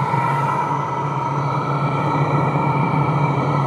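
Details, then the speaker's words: Chinese diesel heater in a portable aluminium box, at full operating temperature after three minutes: steady even blower rush with smooth low hum, no knocks or rattles; normal running. "so within three minutes it's up to full operating temperature and it's blowing like nice clean hot"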